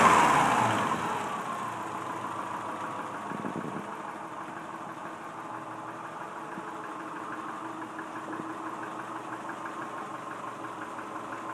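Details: 1999 Subaru 2.5L EJ25 flat-four at 180K miles with piston slap: hollow, uneven knocking that picks up as revs rise; engine being pulled for rebuild.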